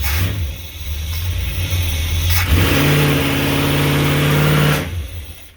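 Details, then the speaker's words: Old motorhome big-block 454 V8 under load on the road: revs climb hard for a couple of seconds, then fall on their face and fade; owners suspect a failing fuel pump or clogged frame fuel filter, not confirmed. "Yeah, we got into it and it started pulling and then just fell on its face."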